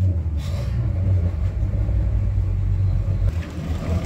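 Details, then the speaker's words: Mercury outboards on a new Boston Whaler 280 with sport exhaust switched off: deep, steady low rumble with even pulse, no rattles or knocks; outboards idling quietly and normally. "Plus, the sport exhaust is up underneath there anyways. It would be a lot louder right now. You wouldn't be able to hear me talk."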